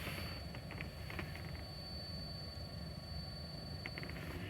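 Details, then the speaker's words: 2007 Toyota Camry heater blower motor: thin steady high-pitched whine over low cabin rumble, changing with fan speed setting, from a worn blower fan motor. "Are you getting that weird whining sound in your vehicle? Just like the one I'm here right now in mine?"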